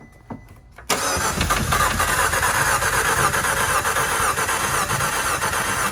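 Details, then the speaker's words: 2015 Fiat Abarth, turbo, driven through a large puddle with water ingestion suspected. On a high-amperage jump box the starter spins fast and evenly, about four beats a second, but it never fires. A dead cylinder or water in the combustion chamber is suspected. "sounds to me like it has a a dead cylinder or something um maybe hopefully it's still some water in the combustion chamber"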